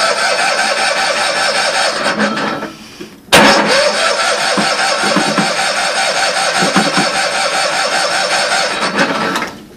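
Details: Old Cushman pickup cold start on jump, possibly weak battery, fuel pump removed and a gas tank fitted: steady cranking, pause, more cranking, never fires; won't start.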